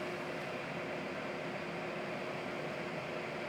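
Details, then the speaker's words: Licitti AC Battery Box 1000 W inverter on 1280 Wh battery delivering 966 W, mic right up close (just over 60 dB): steady even airy hiss with faint hum, no rattle or pulsing; normal cooling fans under heavy load. "right up on it, we're just over 60 decibels. And a couple feet away, we are 10 decibels lower at just over 50 decibels. So that's actually a pretty nice, quiet white noise."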